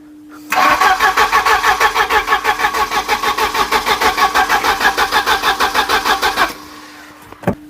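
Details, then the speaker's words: Volvo 740 scrapyard save, unstarted for about 20 years, plugs refitted after rejuvenating the metering head, coil disconnected: even starter cranking at about three beats a second for six seconds and never fires, no spark. "Ah, I know where it'll be. I'll put the coil back on. Probably probably start straight away now."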